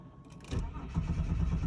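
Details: 1998 Holden VT Commodore Berlina no-start: quick, even starter churning at a few beats a second, never catching; cranks but won't fire, being checked as fuel versus ignition fault. Cause suspected, not confirmed.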